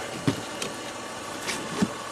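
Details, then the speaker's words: 2005 Volvo XC90 Turbo, 80k miles, under hood near the engine computer: scattered soft clunks and brief whirs as the wipers keep trying to move, then lock; erratic wiper operation, cause unclear. "you can hear the wipers keep trying to do something oh jeez wow that locked in"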